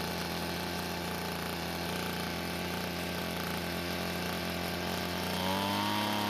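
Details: Two-stroke blower after fixing its leaking gas tank by replacing the fuel and return lines to the carburetor: steady, even buzz with no stumbling or surging, rising slightly at the end, running normally.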